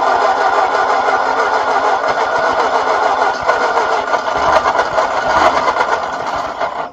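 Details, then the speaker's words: 1939 Ford tractor left in a field for 20+ years, first start attempt after a lot of gas was poured in. Steady, laboured cranking for several seconds with uneven catches that never take. Likely flooded with too much fuel. "you've probably got too much gas in there because I poured so much in so it's gonna have to turn over a little while before"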